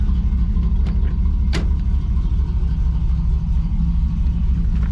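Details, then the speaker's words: 1985 Chevy Camaro IROC-Z28 with a 305 V8, revved during a brake check, belt sometimes squeaky: steady deep rumble with even firing beat, no knocking, ticking or misses. Normal running. "it's just a 305. nothing special sounds good though"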